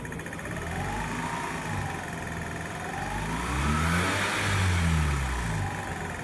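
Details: 2006 Mazda RX8 rotary engine revving with a constant, light clicking for about a week, still present after an oil change. Others have suggested low oil, the SSV, or compression.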